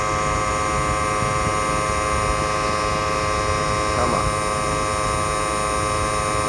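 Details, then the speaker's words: 2008 Toyota Prius with a low AC refrigerant charge: the compressor spins at 6000+ RPM, giving a high steady whine with a beating, grinding undertone from lack of returning oil and refrigerant cooling; it is being overworked and damaged. "so you hear that noise the compressors winding up that high to not satisfy its command"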